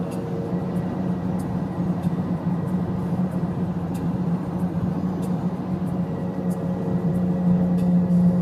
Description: 2009 Honda Accord LX 4cyl with 115K miles has a really bad wheel bearing hence the really loud noise